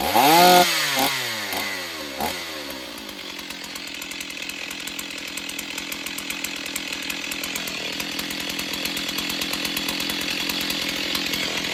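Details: Stihl 028 Wood Boss chainsaw, long unused, after fixing a cracked pulse line: catches after a few pulls and settles into a clean, even buzzing idle with steady firing; runs fine but is weak, slow to wind up and needs tuning.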